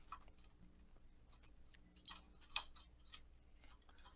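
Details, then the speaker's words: Fluorescent tube on a ballast fixture: sharp irregular crackles and snaps over a faint hum as the bi-pin arcs to the socket's metal plate before contact, the ballast raising voltage above 300 V, likely 600 V. "So right before the bipin touched the metal plate inside the socket, because the ballast raised the voltage above 300 volt, most likely 600 volt, there's a flag jumping from the bipin to the metal plat"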